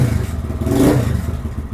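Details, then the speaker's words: Lifan KPM 200 motorcycle with the TPS adjusted to 0.4% closed (0.8% running, 78.4% wide open). Even single-cylinder idle picks up cleanly on a hard blip and drops back without stalling. Normal idle and revving. "it started up it's showing 0.8% it's idling good it's got good throttle"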